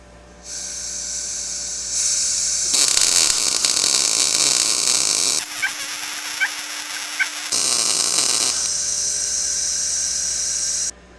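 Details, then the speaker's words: Blue Demon 140MSI MIG welder, set up for first use, after fixing a shielding gas problem that caused porosity: a steady, even, crisp frying crackle during each bead with clean starts and stops, a normal MIG arc. "we're looking much better it still sounds great even"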